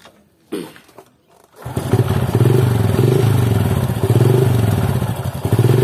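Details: Motorcycle test run after cleaning sand from the magnet, which had caused a rough noise at low RPM resembling misaligned ratio gears: even, steady beat with no grinding or rattle from the side cover; runs healthy.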